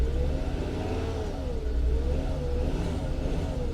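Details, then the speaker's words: Salvage turbo BMW at auction, engine held at light throttle: low drone with an uneven, stumbling beat that doesn't clear under load; persistent misfire, likely one cylinder, with a weak coil or spark plug suspected. "well it's misfiring horribly real bad real real bad so what I like to do in case it's a weak coil or a weak spark plug I like to give it just a little bit of gas"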